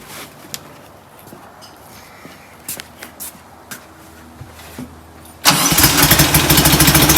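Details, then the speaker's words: Rebuilt performance VW air-cooled flat-four, starts right up into a fast, slightly uneven idle, likely a little rich on the idle jet, blamed for black smoke puffing; idle jets to be shrunk, new plugs planned; 50 psi oil pressure. "i thought this is why it was puffing the black smoke but uh i think it's just a little too rich on the idle jet so we'll take care of that"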